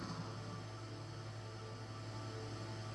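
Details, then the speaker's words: Repaired Xbox 360 that previously wouldn't open or read discs: steady low hum and even whirr from disc drive and fan after the disc reads, no clicking or grinding; loud but healthy console. "it says play game pops up you hear that oh the loud xbox 360."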